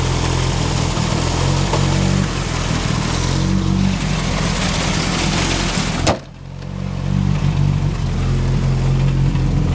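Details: Turbo Ford Focus with a bad idle even after a new coil pack, and it seems to miss under boost. Owner suspects the plug wires or the cylinder 2 fuel injector. A lumpy, irregular idle with stumbles and a brief dip; rough idle misfire.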